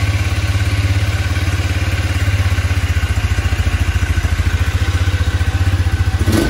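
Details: New 2021 KXD Renegade 200cc ATV, first start: steady single-cylinder thump at about three or four beats a second, even and unbroken; normal idle.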